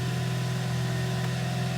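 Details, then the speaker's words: Hyundai i30, 195,000 km, after full engine overhaul for heavy knock, diesel-like running and oil consumption; first start: smooth even idle, no ticking or knocking, diesel sound gone; normal idle. "работает ровненько чистенько все хорошо"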